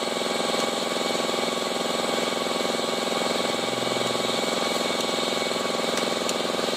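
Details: Honda i-DSI at steady idle: coarse, rapid rhythmic grind about three to four beats a second, suspected inside the automatic gearbox (not confirmed), with vibration and delayed shifting reported.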